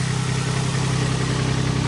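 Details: Flood-damaged Nissan 350Z, sat over a year, after wiring and mass air meter refit: steady even low pulse with no misses or stumbles; engine idling smoothly and normally.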